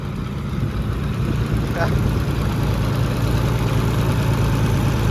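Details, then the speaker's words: Oliver 70 tractor, old petrol engine, after a valve adjustment: steady, even low idle with a smooth beat and no tapping or knocks. It is much quieter than the night before; the water pump gasket still leaks. "well I'm not sure if you can hear or not but she is a lot A lot quieter than it was last night"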